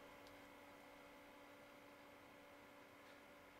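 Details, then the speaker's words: MaxInPower netbook cooler fan at full speed: even airy whoosh with faint constant hum underneath, added to the rolling buzz heard at minimum speed. "et à pleine vitesse s'y ajoute un joli bruit de souffle je sais pas si on l'entend bien"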